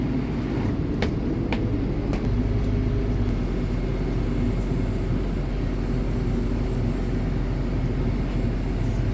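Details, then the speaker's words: Repaired generator in a 2019 Allegro Red motorhome, 110 V power on and batteries bulk charging: steady even low drone, kicks up with the load, no misses, surges or knocks; normal running under light load. "that's a good sign bulk charging so it's getting hot oh hear that generator kick up put a load on that generator now that's a good sign"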